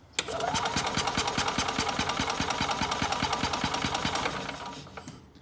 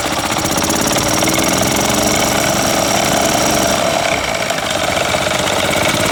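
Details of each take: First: Older Yamaha golf cart, sat for years, fuel inlet line disconnected at the carburetor: starter turns it at a steady beat for about four seconds but it never fires; no fuel delivered, spark present. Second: Older Yamaha golf cart single-cylinder engine, sat a couple of years, first run after no-spark repair and complete fuel system overhaul: loud, busy, slightly uneven chatter held steady on choke; running fine.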